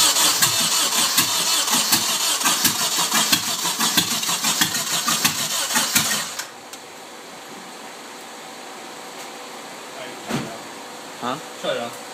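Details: Nissan 240SX KA24DE with rebuilt head and 5-speed conversion: starter cranks about six seconds without firing; owner says timing is correct, spark and fuel present, fuel pump fuse pulled, battery low; cranks but won't start.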